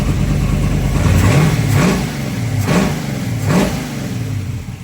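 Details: 1963 Dodge 330 with factory 426 Max Wedge V8, revved in a hangar: rumbling V8 with quick throttle blips, revs rising and falling cleanly; normal revving, timing about right.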